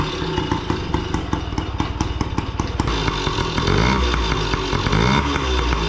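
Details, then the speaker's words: Restored 1987 Yamaha PW50 two-stroke, first start after final reassembly, aftermarket Amazon silencer baffle fitted: crisp even popping at idle, then revs rise and hold steady; engine runs clean and healthy. "bon voyons le bruit avec cette petite chicane made in Amazon contact starter essence"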